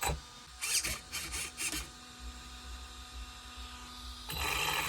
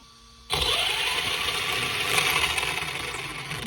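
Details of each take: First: ARRMA Senton 2WD brushless motor on the bench after ESC reprogramming: short spin-ups, then a two-second run with a rough, gritty rasp over the whine; the motor runs hot and is replaced; brushless motor internal grinding. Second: ARRMA Senton 2WD brushless motor on the bench after swapping ESC motor wires to fix reversed throttle direction; high, even whir spins up sharply and holds at full throttle, no grinding or stutter; normal brushless motor run.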